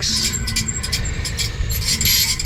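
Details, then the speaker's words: Restaurant make-up air unit blower motor, belt removed, after the unit may have overheated: scratchy high-pitched squeaks over the blower rumble; worn motor bearings squealing, pulley also worn and grooved. "those motor bearings were squeaky squeaky as you heard which sucks it's not a cheap motor"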